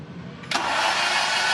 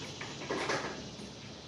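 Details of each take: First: 1996 Mazda MX-5 Miata with swapped Honda K24Z3 engine, first crank, coolant and intake at 69: a steady, even starter whir turning the engine over smoothly without firing; cranking sounds healthy. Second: 1996 Mazda MX-5 Miata with Honda K24Z3 swap on first start: starter churns about three even turns a second for five seconds, never catches, cranks again; followed by a backfire, flood clear planned.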